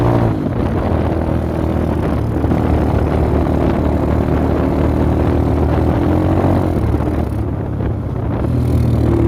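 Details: X-Pro dirt bike single-cylinder idle that stumbles and lopes unevenly: sounds like an idle air screw out of spec, but it is an ignition issue, a coil failure.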